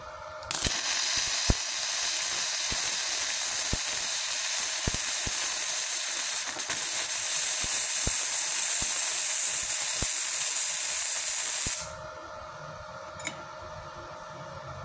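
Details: Gasless flux-core MIG on a cheap Multipro MIG-MMA/TIG 160 welder, with the torch and ground clamp on the polarity shown as correct: a steady, even frying crackle for about eleven seconds with no popping, a clean and stable arc.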